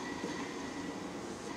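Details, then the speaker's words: 1966 Hitachi three-phase lathe motor on a VFD: a steady gritty rumble with a faint thin whistle from worn ball bearings (NTN 6306), which were later replaced. "you can just hear the bearings how noisy they are"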